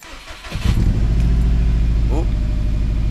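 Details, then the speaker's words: Subaru after sitting all day, cold startup: brief crank, then a lumpy, uneven idle; cylinder 3 misfire detected (P0303) from a failed ignition coil, to be replaced. "let's just get a quick read on the access port here cylinder 3 missfire detected"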